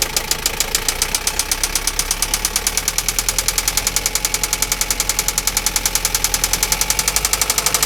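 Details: Toyota Lucida engine: sharp, evenly spaced knocks about three or four a second over a steady idle; engine knock, cause not yet pinned down.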